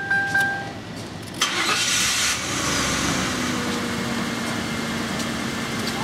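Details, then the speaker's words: 1999 Ford Crown Victoria 4.6 on restart: engine catches, RPM flares up briefly with higher IAC percentage, then settles to a steady even idle, showing the IAC motor works in both directions; normal start-up flare. "and your flare up you're looking at it's the higher RPM the higher IAC percentage and that shows you the motor's functional in both directions"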